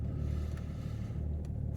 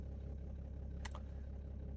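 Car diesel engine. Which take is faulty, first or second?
first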